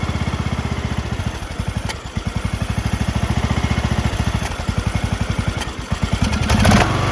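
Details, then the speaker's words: John Deere LA110 lawn tractor, rebuilt Briggs 19.5HP engine with new carb, idle screw just adjusted: steady idle thumping about three to four beats a second, smoothing out; normal idle after rebuild. "adjusted idle screw. Got her dialed. That's idle dial."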